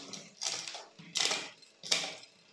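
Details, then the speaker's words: Bicycle rear derailleur after turning cable tension adjuster counterclockwise to stop chain drifting down the cassette: three crisp clean clicks as the chain steps up the cassette, no grinding or chatter; shifting now quiet and healthy. "so i'm gonna go a little bit more until it stops doing this noise okay it's quiet now let's see"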